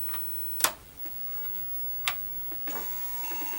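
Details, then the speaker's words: Repaired Atari 1050 floppy disk drive, half-assembled, powered on: couple of sharp clicks then steady high whir as the motor spins up evenly; starting and running normally. "and now when we turn it on obviously the drive came on so now let's see if we can load it works"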